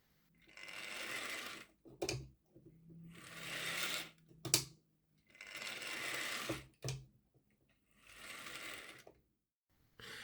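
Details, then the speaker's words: Model locomotive, previously a non-runner with a missing ball bearing from the top motor bearing, after fitting a new ball bearing, servicing and remagnetizing; short bursts of even buzzing whir, steady pitch, no knocking; normal running. "I fitted a new ball bearing and it seems to run fine now."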